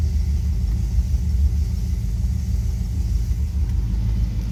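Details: 1973 Dodge D100, hot, after tightening exhaust manifold bolts; steady even low idle rumble with no whine or squeal from the steering pump. Normal idle.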